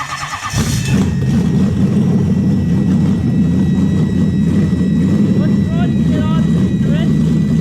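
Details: Toyota 1UZ-FE V8 restarted after the IACV stepper motor completed its reset: catches quickly and settles into a smooth, steady idle with an even low hum, no misses or hunting.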